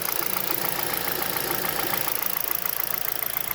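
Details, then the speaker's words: 2011 Hyundai Solaris G4FC, 166k mileage, 15°C outside: no knock when cold, but at 58°C coolant and about 900 rpm idle a light, even ticking knock about three times a second emerges from the top end; owner suspects piston slap or tight valve clearances. "начал появляться стук сейчас вот он появляется стук с прогревом становится отчётливый [аплодисменты] доносится откуда-то сверху"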